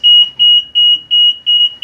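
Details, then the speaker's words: Bus pre-trip inspection, bus turned off and parking brake released: steady high beeps about three per second, evenly spaced; warning beeper working as it should. "For the second part of this test, you should hear this beeping going on. If you don't hear that, you know something wrong."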